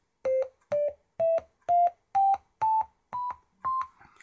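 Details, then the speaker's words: Penny organ with Arduino-controlled digitally controlled oscillators set to sine wave and no envelope shaping: eight clean tones stepping up in pitch, each with a sharp tick at start and stop, because the oscillators cut off mid-wave rather than at zero crossing. "both on the start of the tone and at the end and that's because these oscillators uh produce this sine wave I suppose I should do it this way really uh but they don't really care where the sine wave ends they don't wait until the sine wave reaches the zero Crossing Point the midpoint"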